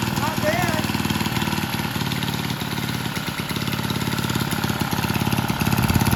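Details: Vintage Lauson-powered jump starter, rope-start single-cylinder left outside long, floods easily, transmission fluid put in and left overnight; owner suspects a sticking valve freed: loose, uneven chuff about two firings a second, running steadily without dying; normal running.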